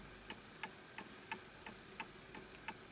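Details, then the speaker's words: Antique Enfield Westminster-chime mantel clock, fully wound, after the pendulum is swung and the clock levelled to its surface: crisp, even tick-tock at roughly three beats a second with equal spacing; the clock now runs in beat. "Now you can hear it. And now it's matching the surface level that it's on."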